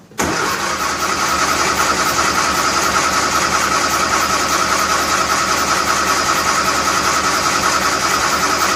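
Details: 1957 Nash Metropolitan barn find with manual choke, after sitting many years: catches right away and settles into a steady, even idle with a light rhythmic patter; small four-cylinder running smoothly.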